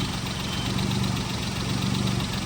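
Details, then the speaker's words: Idling petrol car engine with a lumpy, stop-start beat where firing pulses drop out and the whole engine vibrates; misfire at idle. "और अगर रुक-रुक के आवाज आ रही है और पूरा इंजन वाइब्रेशन कर रहा है। जैसे ये कर रहा है देखो"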